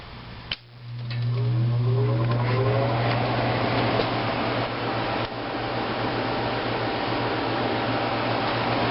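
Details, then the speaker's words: 1995 Fedders window air conditioner, fan only on low speed; a click at switch-on, then a steady low hum with an even airy rush; runs smooth and quiet, nothing wrong. "this is obviously a three-speed motor only only two speeds with just the fan on and then three speeds with the with air conditioning on yeah it's pretty quiet"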